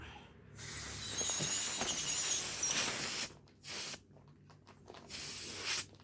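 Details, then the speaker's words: Lawn mower tire previously patched, re-patch failed: sharp hissing bursts of escaping air, loud then fading; leaking at two places, needs a tube. "So that didn't work, guys. It's leaking at 2 different places."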